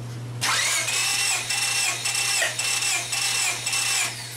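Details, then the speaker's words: 2000 Honda Civic LX that severely overheated, compression test at wide open throttle: starter cranks in a steady, even rhythm; readings of 150, 162, 161 and 157 psi are fairly close; normal cranking compression. "so actually they were all fairly close considering the age of this engine and and everything that it's been through that's not tooo bad"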